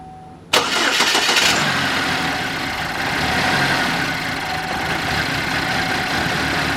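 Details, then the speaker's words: Chevy Malibu Ecotec with stored cam/crank position sensor and IAT-high codes: cranks, catches, then idles with a slightly uneven, wavering beat. Rough idle, though better than before; cause not pinned down. "Still don't sound the healthiest of things, but Way better than it did."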